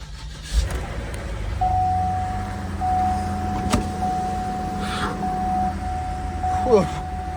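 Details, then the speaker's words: 2007 Cadillac SRX Northstar V8 with 12,215 miles, sat outside and possibly water-affected, started from a booster pack: catches at once and holds a smooth, even idle under a door chime; healthy start. "Okay, you can hear she fired right up, and she sounds great, as I'd hope for 12,000 miles."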